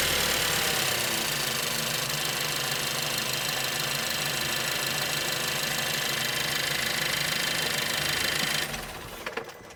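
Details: Suzuki Swift Sport ZC33S after water pump replacement: even idle with only a fine injector tick, no whine or rattle; the water pump noise heard at engine stop is completely gone.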